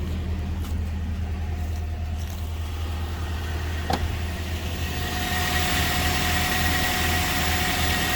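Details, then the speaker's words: 2004 Toyota Tacoma SR5 2.7L, code P0304, idling low and uneven with a lumpy, stumbling beat from a single-cylinder misfire; the engine shakes heavily, and the cause is a faulty ignition coil. "el motor anda muy tembloroso Te vamos aquí a prenderla Para que vean [Música] anda muy tembloroso"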